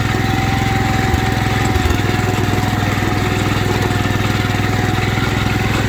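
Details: 1972 Wheel Horse Raider 12 lawn tractor, revived after 15 years in a shed, idling in a basement: a small single putters evenly about three times a second without stumbling. It formerly died when idled down; it now idles healthy.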